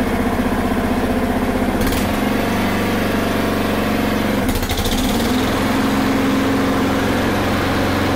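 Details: Honda HRR216 single-cylinder mower that stalled when the clutch engaged, blamed on a bad aftermarket carb, after the fix: steady, even beat with a brief rev change and no stumbling. Normal running.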